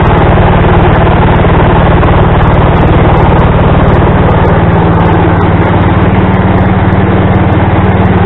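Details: Small single-cylinder tractor engine driving a snowblower attachment, just after adding a tensioner pulley from an old mower deck to tighten the loose belt; thumps along at a fast steady beat with the blower spinning, smooth and even, normal running.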